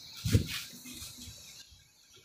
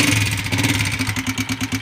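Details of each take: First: 2015 Honda 125 motorcycle after push rod replacement and valve setting: after a few cranks the single settles into an even quick putter, previous tapping noise gone; normal idle. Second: Honda CB Shine 125, 2015 model, single cylinder at idle: sharp regular tick about seven or eight times a second at the top end; tapping from worn, loose pushrods, before replacement.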